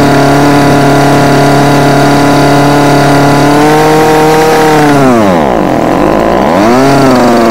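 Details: Homelite UT20042A string trimmer with new C1U-H60 carburettor, warm, wouldn't idle: steady full-throttle two-stroke scream sags sharply then climbs back as mixture screw is turned during carburettor tuning.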